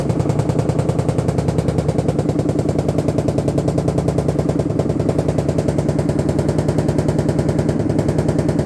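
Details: LG washing machine giving a loud, fast, steady banging over a deep rumble, likely during spin; the noise has been getting worse.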